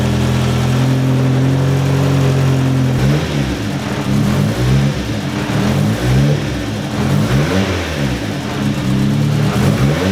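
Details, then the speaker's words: Turbo petrol engine warming up after the oil pan was pulled to look for a knock and refitted with reused gaskets: steady idle and clean revs, only slight piston slap that goes away once warm. "Well, sounds good so far. I don't hear anything that sounds concerning. A little bit of piston slap, but that goes away once it warms up."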